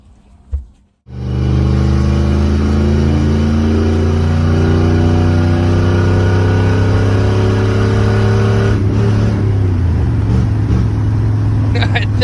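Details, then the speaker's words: Van started in the morning after its putty-and-tape exhaust repair blew out while driving: the engine catches and settles into a loud, deep, throaty rumble at idle, far louder than stock, from the fully blown-out exhaust. "my exhaust is officially blown out I wanted a Hot Rod Van buy I got a Hot Rod Van listen to that puppy purr dude this sounds way better than it did when it was like partially blown out"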